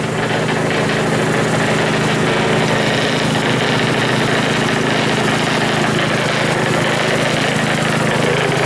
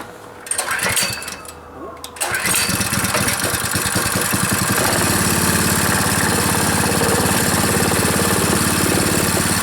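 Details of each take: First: Rebuilt Powerfist small petrol engine running with idle set very high via carburettor idle screw; fast steady beat with loose rattle, like a plate tamper. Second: Powerfist small petrol engine, torn down completely and reassembled, first run; catches after a couple of pulls, then smooth steady idle with no misses or knocking.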